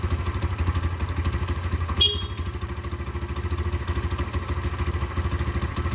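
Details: Derbi 125 single, a former non-runner, after a carb service and fuel tank clean: it thumps along at an even beat of about three pulses a second, pulling cleanly with no misfire or spitting; it runs healthy.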